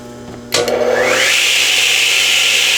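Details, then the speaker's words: Delta 12 in 33-892 radial arm saw crosscutting a board supported at the fence and at the far end, fed slower than needed for a fine finish. The motor spins up to a steady high whine, then the blade cuts with an even, smooth hiss; an easy, clean cut with no chip-out. "Okay, that was a really easy cut. As a matter of fact, I moved the saw through much slower than I actually had to because what I was trying to do is to to achieve a very nice cut."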